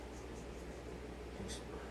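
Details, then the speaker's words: Worn, loose ball bearing from a Jonsered 2149 chainsaw bottom end, spun by hand during rebuild: quiet gritty rasp, horrendous sounding; feels like the bearing moves up and down, a bad one. "horrendous sounding if recall. Yeah, just absolutely. I think I think this one's got a bad one in. I don't I think it's feels like the bearing's going up and down"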